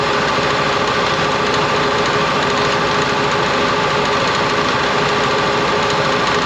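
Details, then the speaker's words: Air compressor with new motor replacing the failed, high-hours old one, running normally; steady motor-and-pump drone with quick pumping beat, no knocking or rattle, building pressure. Unloader check valve in tank bleeds 130 PSI head pressure so motor restarts against 0. "New one's running good. It's now the unloader valve."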